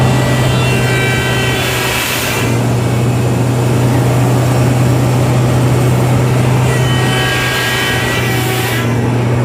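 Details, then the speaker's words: Komatsu PC1250-8R excavator hydraulic pump abnormal noise, appearing only on boom operation (three pumps), not travel or swing; neutral pressures normal: heavy low drone with two few-second bursts of high whine; cause not yet confirmed. "ठीक है, समस्या की पहचान की गई है, इसलिए जब हम 3 पंप चलाते हैं तो शोर पंप तब होता है जब हम "बूम" को स्थानांतरित करते हैं एक ध्वनि शोर होता है"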